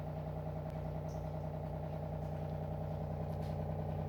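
Quiet, steady low hum from the small pump with no rattles or surging, sounding normal while it purifies.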